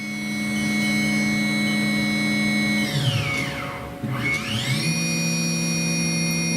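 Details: Haas VF3 CNC vertical machining center, solid spindle, warmed up after spindle drive repair, stepping through speeds around 9,000–10,000 rpm; steady high whine dips and climbs smoothly, no grinding or knock; normal spindle run.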